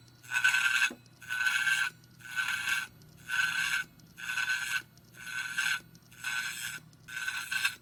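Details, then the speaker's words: Hitachi Ultrastar 500GB hard drive dated July 2009 with a failed motor, at spin-up: harsh rasping scrape about once a second with a shrill ring in each burst; owner suspects shipping damage tilted the platter so it rubs when the heads load. "然后现在听一下它启动的声音，马达坏掉了。马达坏掉了，这边好像那个转盘会好像转动的时候会切到这边。"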